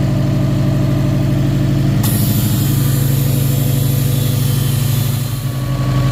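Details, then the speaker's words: Subaru WRX STI EJ25 2.5L, oil pressure gauge fitted, idling at about 55–60 PSI then revved; dull rhythmic knock rising with engine speed, suspected bottom-end rod knock, not confirmed. "you can hear that knock on that engine"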